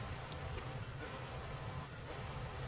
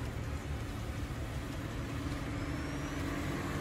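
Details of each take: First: Honda Fit idling: low, uneven idle with irregular dips from a cylinder 1 misfire, traced to a faulty coil pack and possibly a damaged coil connector wiring; coil later swapped. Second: Honda Fit idling smooth with steady even hum, no stumbles, after misfire fixed by replacing coil pack and spark plug.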